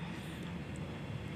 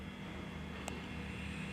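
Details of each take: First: Sharp single-door fridge that would not cool, after clearing a refrigerant blockage and recharging slowly to 10 psi: a quiet, even low compressor hum with no knocking or hissing. The condenser is evenly warm and the evaporator is at -5.7 °C, so refrigerant circulates normally. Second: Sharp single-door fridge with its light on but not cooling, previously serviced, just plugged in: the compressor gives a faint, steady low hum, weaker than its usual sound. This fits a suspected blocked refrigerant line, still to be traced.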